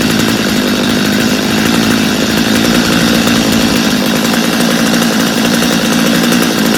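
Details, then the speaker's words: Stihl chainsaw, reassembled for a customer with a Bosch spark plug fitted, after starting on full choke: high steady two-stroke buzz holding even with no stumbling or surging; runs well, idle slightly high, little carb adjustment needed. "I think we got a good running saw there I think the owner will be happy with it I didn't even have to do much adjusting on it so that's a good thing"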